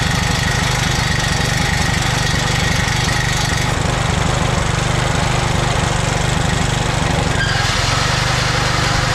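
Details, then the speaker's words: 2007 McLane reel mower small engine after a carb clean, on choke at fast throttle, running on fuel poured into the carburetor bowl with no tank fitted. Fast, even beat with no misses, then drops away as the kill switch shuts it off; normal running. "All right, that was just fuel in the carburetor bowl. Obviously no fuel tank hooked up. That's just what I filled up the carburetor bowl with."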